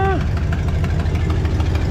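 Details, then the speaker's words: 1972 Pontiac LeMans V8 after new NGK plugs; suspect cylinder shows healthy 140 psi compression: idle with a regular hollow skip, one cylinder dead each cycle. Swapping the number eight plug wire didn't fix it; owner suspects valve train. "I think it sounds same also tried swapping the plug wire on number eight and still not hidden at idle we'll go take for ride see what it does but could be a valve train issue"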